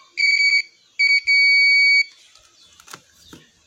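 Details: Continuity buzzer tester on Yamaha NMAX 155 (old model) ISC wiring to the ECU socket, diagnosing error code 61. Clean high beep, short chirp, then steady tone about three-quarters of a second: wire has continuity.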